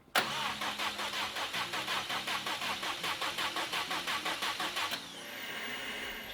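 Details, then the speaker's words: 2015 Subaru WRX STI, EJ257, after engine rebuild: gas pedal held to floor to cut fuel while cranking to build oil pressure. Steady cranking about three beats a second for five seconds, no firing. Cranking without starting. "All right, perfect. Holding down the gas pedal did in fact prevent it from starting."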